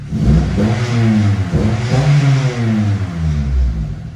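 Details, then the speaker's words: Acura RSX with Skunk2 Mega Power exhaust (possible exhaust leak at a connection underneath), revving inside a spray booth: smooth, clean revs rising and falling evenly with a deep steady exhaust note, no knocks or rattles; healthy engine. "But honestly, The Skunk 2 Mega Power exhaust does sound pretty good, pretty clean. We're inside of an Echo box here inside the spray booth. Engine's very smooth. Sounds really, really good."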